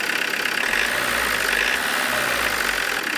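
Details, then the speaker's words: Diesel with Lucas DPC injection pump after injection timing adjustment, warmed up: steady, even idle clatter without harsh knock, running softer, little smoke on throttle; normal idle with timing set to the optimal point. "Так, ну немножко помягче стало, чувствуется. Немного помягче стало."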